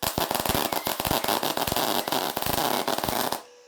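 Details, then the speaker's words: Beginner welding on cleaned rusty scrap with a basic MIG/MAG machine: irregular sharp popping and crackling instead of a smooth steady sizzle, heavy spatter; welder suspects wire speed too fast, heat too low or torch held too far away. "all of these splatters that looks like this one so i wire too fast heat too low or hands too far away"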